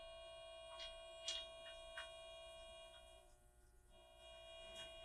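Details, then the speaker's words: Game Boy Color after replacing the three speaker capacitors, sound test: clean steady test tones and chirps with no crackle, buzz or dropout; speaker working properly, better than usual. "Seems to be working. That's better than I've heard one in a long time."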